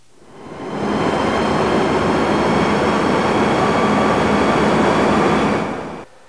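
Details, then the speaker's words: Axial fan in a test chamber, running first at 1000 rpm and then at 1600 rpm: even rushing airflow with a faint constant hum, louder at the higher speed but smooth. The fan is running normally. "listen to the sound generated by this axial fan operating first at one thousand rpm now listen to that same fan at sixteen hundred rpm"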